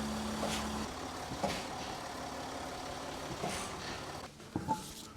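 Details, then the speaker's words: Land Rover Discovery 4 (L319) coasting, then braked hard: over road rumble, a few sharp single clunks a second or so apart, the typical knock of a failed front lower control arm hydro bushing. "запускается автомобиль пускается в накат и путем резки резкого торможения мы должны будем услышать стук характерный особенно давать бумаги"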